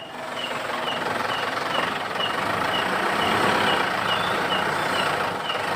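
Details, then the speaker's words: Mitsubishi Pajero, squeak like a rat when engaging transmission gear, heard from outside: short high squeaks about every quarter second over low idle; suspected driveshaft joint coupling, not yet confirmed. "Suaranya kayak curut atau berita kalau masuk gigi transmisi ada suara aneh suaranya dari luar"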